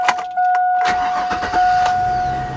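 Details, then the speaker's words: 2000 Chevy Suburban V8, one owner, 170,000 miles, cold start after sitting 3–4 days: warning chime, quick crank, then it catches promptly and settles into a smooth idle. No leaks or smoke reported. A healthy cold start. "Cold start too, guys. This thing hasn't been started today. In fact, this thing has not been started in 3 or 4 days."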